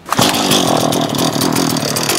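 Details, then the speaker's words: Ordinary fire-brigade chainsaw, as opposed to the rescue saw, on the FF Jagel LF 10 vehicle: starts immediately and settles into a steady, even high-pitched buzz with no misfires; it runs well. "Also ganz normale, klassische Fichtenmoppe. So sieht's aus. Okay. Läuft aber gut."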